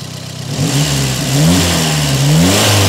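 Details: Peugeot 405 1.9L GRX4 petrol engine after carburettor mixture adjustment with a Gunson Colortune: rises from a steady idle into clean, quick revs with no stumble or flat spot. Running normally, like clockwork.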